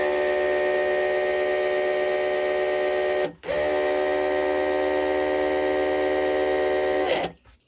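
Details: The electric hydraulic pump of a Chrysler Sebring convertible top runs while fluid is added and air is bled, with the reservoir plug out and the cylinders cycled. It gives a steady, even whine that stops briefly and resumes at the same pitch with no air gurgle, which is normal.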